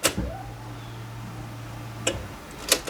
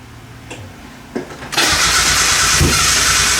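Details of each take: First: Four-injector engine after the fuel lines and connectors were refitted, key-on prime with no leaks or spray; a click, then a low, even buzz for about two seconds and another click, a normal fuel pump prime. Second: Mazda Miata after PCV valve and hose replacement: starter cranks steadily about three turns a second with no firing; fuel pump not heard, owner suspects relay installed backwards or not seated; crank, no start.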